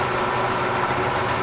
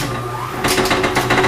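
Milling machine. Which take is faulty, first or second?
second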